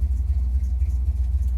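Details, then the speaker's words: Chevy C10 small-block (owner thinks a 283) with a new Maxpeedingrods Quadrajet carburetor, at operating temperature with a 160° thermostat: deep loping V8 idle with a steady pulsing throb, uneven; owner suspects ignition timing needs adjusting. "sounds like maybe maybe you could use a little bit of timing adjustment uh it's probably screwed up before we're being honest"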